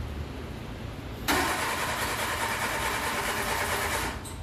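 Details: Le Car, an old French car, started with choke halfway; it catches and runs raggedly for about three seconds, then dies. Plugs weren't very wet; owner suspects bad points and terrible ignition cables and plans new points and wires.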